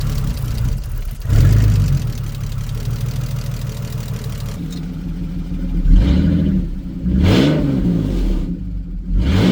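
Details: BMW E46 330ci, abandoned over six years, logging a lean code, running on a MAF borrowed for testing. Low, uneven, unsettled idle with a couple of throttle blips; cause not confirmed, and the idle control valve was later replaced. Rough idle.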